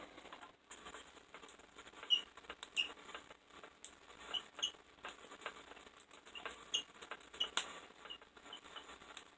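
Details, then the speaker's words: Van de Graaff generator with no current flowing between electrodes: sharp, irregular snapping pops in bursts over a quiet room; static discharge popping, possibly from a dog hair on it, not confirmed. "there you hear the vandegraaff popping there might be a dog hair or something on it"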